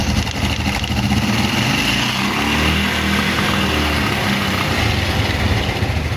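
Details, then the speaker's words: Fuel-injected motorcycle on a used ECU, fuel pump powered from a scanner because the ECU gives no pump signal: starts and holds a steady idle with small pitch wavers but will not rev when throttled, then errors. "Nah, kan motornya sudah hidup. Tuh. Nah, tapi digas nggak mau."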